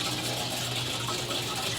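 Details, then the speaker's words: Newly installed water heater (unit had sat unused a long time) filling from the cold supply: steady rushing hiss of water with a low hum beneath, no drips or irregular spurts; normal tank filling. "Now I'm just going to fill it up. You can hear it. Fill it up."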